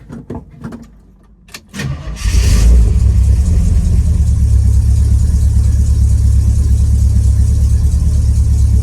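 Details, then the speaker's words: Thunderbird on 40-weight oil, cold start on a roughly 70° May morning: after brief cranking it catches into a loud, lumpy, rough rumble; it runs badly with even a barely closed choke from over-choking. "See, does not like much choke. I barely got the choke, like barely closed, and it hates it."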